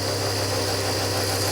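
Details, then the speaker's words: Barn-find rear-engined Czechoslovak Skoda, long stored, run with fuel fed into a jug, on choke; some excess fuel burning off at the rear. Steady, even, slightly raised idle, no misses or knocks; normal fast idle on choke. "That does a bit of excess fuel there burning off at the back."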